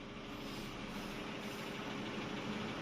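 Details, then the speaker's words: Chevrolet Aveo after reassembly and sealing a suspected air leak around the EGR and sensor intake pipe (check-engine light had appeared after a self AC recharge): smooth, even idle settling near 800 rpm with no hunting or misfire; normal idle, engine light gone. "โอเคแล้วครับผ่านครับทุกคนทุกคนจะเห็นว่ารอบเดินเบาจะลงมาอยู่ที่ประมาณไม่ถึงพันนะครับโยน800บาทนะครับอันนี้ถือว่าเป็นปกตินะครับของรถ"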